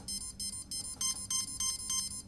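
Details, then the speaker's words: Cheerson CX-20 quadcopter during ESC throttle calibration after an APM 2.8 upgrade, battery plugged in at full throttle: short, bright motor beeps repeat about three times a second as one speed controller enters programming mode. "so if you end up getting this weird sound don't push it down again cuz right now one of the esc's actually went into a programming mode"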